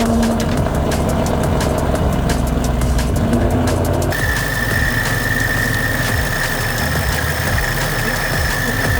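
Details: Supercharged Mustang, tune still being dialed in, AFRs around 14, EVAP sensor removed: loud, steady cold-start idle with a constant high supercharger whine on top, no knocks or misses; normal cold start.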